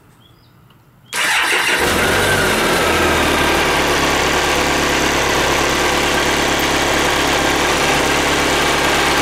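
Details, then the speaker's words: Cold-started BMW K1200RS motorcycle idling: steady metallic rattle about four a second from the worn clutch thrust (release) bearing that pushes the clutch plates; bike otherwise runs fine after clutch slip cured. "So you hear that? That noise is a bearing that pushes in the clutch plates."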